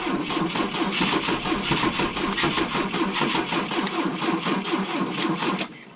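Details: 1972 Volvo 145 on rigged fuel with vacuum ports plugged: steady, fast cranking for about six seconds that never catches; hard starting because plug leads were disconnected.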